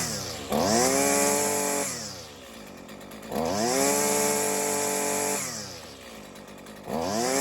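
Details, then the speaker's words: Husqvarna 128 LD two-stroke trimmer with a Chinese carburetor, after swapping the Torch plug for an NGK plug: it revs cleanly, holds a steady high buzz and returns to idle with crisp response. Earlier the Torch plug caused smoking, sputtering and popping. "Perfect. Okay. As you can see, it runs mint."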